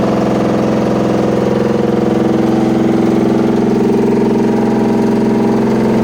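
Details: Washing machine running with a loud, heavy rumble pulsing about three times a second without letup, like a drum full of rocks or a load of bricks; cause unclear.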